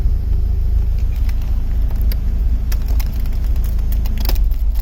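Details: BMW E36 M44B19 at idle: deep rumble that wavers and sags now and then as O2 sensor voltage and lambda integrator randomly drop; sensors, ignition, air leaks, fuel pressure, MAF, ICV, hoses and injectors checked, cause unknown.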